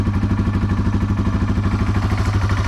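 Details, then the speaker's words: Carbureted 2019 TW200 single, cold start on full choke with a little throttle, in neutral: it starts easily and gives quick, even low thumping with no misses or knocks. Normal cold idle on choke. "Right there. And that is literally how easy it is to start this in the cold."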